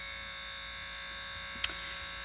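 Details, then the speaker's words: Triumph Stag window lift motor on the bench, wheel removed and grease cleaned, powered from a supply at about 12 volts: thin high-pitched whirr holding steady with one brief tick; spins freely, healthy. "And here's I powered it up to a power supply. Let's crank it up to about 12 volts. You can actually hear it whizzing away."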